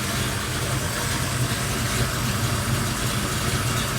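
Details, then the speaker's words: Big-block Chevy V8 idling after Remflex header gasket install: deep, steady, even rumble with no ticking or puffing at the headers; no leaks, only normal header noise, sounds healthy. "all right she fired up no leaks it uh it all sounds it all sounds good all i hear is header noise now so that's uh that's all excellent no problems"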